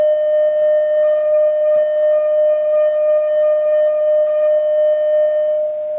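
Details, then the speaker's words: Vintage Oahu 230K 6V6 tube guitar amp after its power supply and coupling caps were rebuilt: as the volume is turned up, a steady tone comes out buzzy and fuzzed with a wavering rasp. The blown internal field-coil speaker is confirmed, since a substitute speaker plays clear. "Looks like we got a blown speaker. And it's a field coil speaker."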